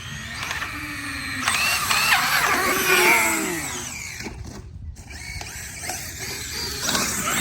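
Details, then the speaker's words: Custom Traxxas X-Maxx RC truck with Hobbywing MAX4 560kv motor on 8S, upgraded pinion and spur gears: whining drivetrain with uneven crackling clicks rising and falling with speed, sparks seen; broken differential gear suspected, owner unsure if diff. "hear something crack-a-lacking in there. That don't sound too happy."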